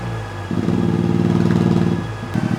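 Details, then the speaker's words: Suzuki Cappuccino on a dyno, on a repeat pull to check air-fuel ratio: the engine pulls hard, then the note abruptly sags, like something disconnected or a lost cylinder. The turbocharger failed after it sucked in the air filter. "sounds like something disconnected or I just lost a cylinder"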